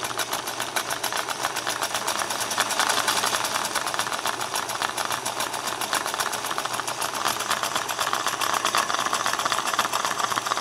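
Fast uneven clatter from the mechanism, rattly and irregular instead of a smooth hum; the machine is running rough and needs work.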